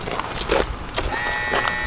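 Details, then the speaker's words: Kohler EFI engine, aftermarket high-pressure fuel pump: after clatter, a thin steady high whine as the pump runs on key-on; pump works but failed in the old case. Normal fuel pump prime. "Hear it? I could hear it. Well, the pump's still good, but it didn't work in that old case"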